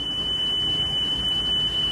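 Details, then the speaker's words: Sony Walkman (WM-EX102/EX610) after belt replacement, 3 kHz test tape: a clean, steady 3 kHz tone without drift, now at correct speed. Wow and flutter still to be improved. "that's that's that's that's pretty good that's actually really good for one beef of course this can't compare to like a dedicated cassette deck but that's that's good that's the correct speed"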